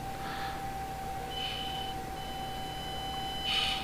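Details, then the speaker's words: Axial SCX24 V2 crawler on a bench test at light throttle: thin steady high electronic speed controller whine with no wheel movement, before engagement a millimetre or two later. "I can hear the the the wine starting right there I don't know if you guys can hear that but pardon me we do have a wine but no movement"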